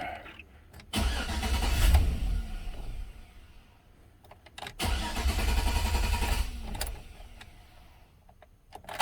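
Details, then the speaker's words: 2006 Chevy Silverado, no-start towed in after speaker install, battery reconnected: engine catches and roars briefly twice, dying within about two seconds each key cycle; fuel pump heard priming, radio and windows dead. "turn the key on i can hear the pump turning on shuts off every time i cycle a key it'll start and shut off okay interesting note"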